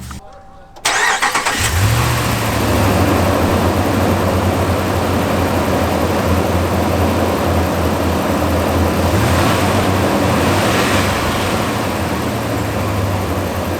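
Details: Dodge Ram 1500 whose idle problem appears only on morning cold starts, started after the dirty throttle body was cleaned: it catches after a short crank and settles into a steady but slightly uneven idle. Whether the cleaning fixed it is unconfirmed.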